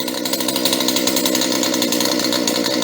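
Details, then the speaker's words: Used chainsaw idling while still cold: a high, buzzy two-stroke note holds steady without stumbling or surging, and the chain stays still at idle. Normal idle. "okay this one sounds okay at idle it's still cold but the blade is holding still"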